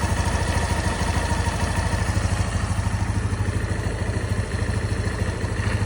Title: What can make a Gy6 125cc scooter SYM motor making this noise and disappear tilting the bike?